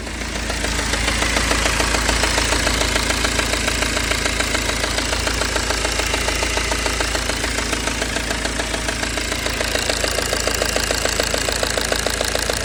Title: BMW 320d n47 e92 ticking sound from engine - solution